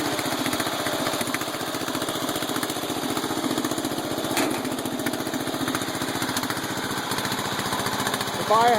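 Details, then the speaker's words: Small single-cylinder engine ("The Bio Hazard") after reassembly, running at a steady fast speed with a crisp, even beat and no hunting or surging. The carburetor had been sticking, with one screw smashed and another possibly lost. Fixed, running normally. "the biohazard lives to die another day [Applause]"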